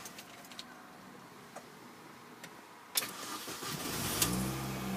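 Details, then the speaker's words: Grey petrol manual Mini Cooper S with 98,225 miles, started from inside the cabin: a quick crank, the engine catches at once and settles into a smooth idle with supercharger whine. Healthy start, no problem starting. "you can hear, no problem starting the vehicle at all there."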